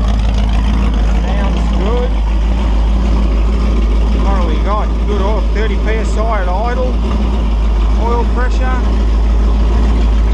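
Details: Holden 355 stroker V8 on test stand (flat-top pistons, Sig Erson TQ30 cam, HEI, Edelbrock carb, single-plane manifold, 9.5:1 compression), cam bedding in: steady even low idle rumble with no knocks or ticks; runs smoothly.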